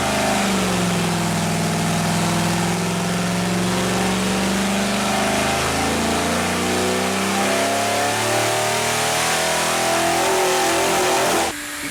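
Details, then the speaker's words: Mopar 451 stroker big block (400 B block, cast iron heads): loud flat, steady drone that won't climb higher, as if hitting a wall under throttle; won't rev past 4400 rpm, cause unconfirmed. "can hear and visually see where the motor no longer wanted to rev. It was getting to a point where it was just hitting, we would call it like a wall. It just did not want to rev any further."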